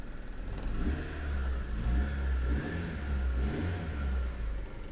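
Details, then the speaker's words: Honda Civic EF hatchback after swapping in a borrowed exhaust manifold to cure leaks: revs up and down in smooth, even swells with no ticking or exhaust puffing; much quieter, running better. "definitely feels like it's running better just from that acceleration"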